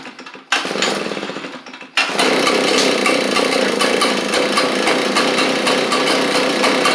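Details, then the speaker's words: Echo PB755ST backpack blower before carb replacement: catches once, runs rough and uneven, quits when taken off choke or when trigger pulled; won't power up, suspected bad carburetor diaphragm, fuel issue. "Whatever you try and give it in. And it just quits whenever you take it off the choke."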